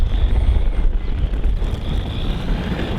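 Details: HPI Jumpshot MT Flux, stock, on a 2S LiPo, after re-meshing the gears because the motor had shifted: a steady, high motor whine during full-throttle passes on gravel, over wind noise, with no gear chatter. Normal drive.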